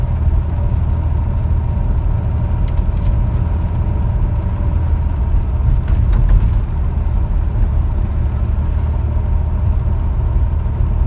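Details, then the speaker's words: 1961 Chevrolet Corvair Lakewood on test drive after FAST XR 700 electronic ignition fixed no-spark issue: steady low rumble while cruising, even and smooth, no surging, misses or sputter; starts fine, idles okay in park. "i think that sounds good starts fine idle's okay in park and as i'm cruising there's no surging or sputtering it's all nice and smooth"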